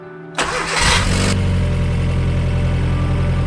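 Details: Rover started after 4 years without running; warning lights on and fuel pump priming first: short crank, then it fires cleanly and settles into a steady, even idle with no misses, a normal start after long storage.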